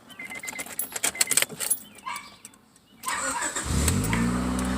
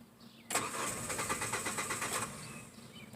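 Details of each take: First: Car after a new starter was fitted (previously would not start even when tapping the starter solenoid), airbox still disconnected: a quick crank, the engine catches cleanly and settles into a smooth, even idle; starter working fine. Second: Hyundai Elantra after reconnecting the disconnected starter S terminal: starter cranks evenly under two seconds, engine almost catches but never fires; leaking fuel line pouring gasoline, no fuel pressure.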